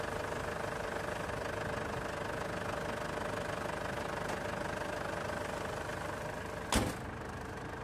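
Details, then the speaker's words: Ford Everest with a no-start complaint, diagnosed as a possibly loose battery terminal; on a second restart the engine idles steadily and evenly with one brief clack, running fine again. "tapos Switch off ko itong makina after a second start ko ulit yan yon okay na talaga siya"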